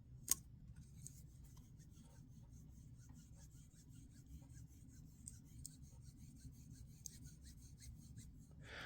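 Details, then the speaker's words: Benchmade Mini Bugout 533 knife with broken scale: fine dry zipper-like rasping as the blade swings open; owner guesses the pivot bearing is running across machining lines in the steel. Gritty pivot noise. "I don't know if you can hear it but almost sounds like a zipper like a really small zipper I'm guessing that that that's that bearing running across these uh machine lines"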